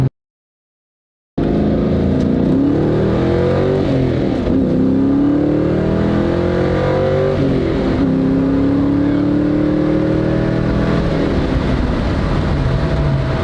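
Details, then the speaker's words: 2000 Mustang GT V8 with rebuilt Ford 8.8 axle, 3.73 ratio, Yukon limited-slip, 31-spline axles, breaking in gently: steady cruise, engine pitch rising and falling smoothly, faint gear whine, whining only occasionally on decel; normal differential operation. "So this thing is doing great. It's not whining."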